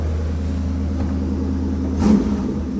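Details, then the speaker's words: Old Ford, spring cold start: a steady, even low rumble at idle, then a clean, quick rise when blipped, so it sounds good. "Oh, she's sweet. Sounds good. Did I just blow exhaust on the door? I did. Whoops. The old Ford sounds good."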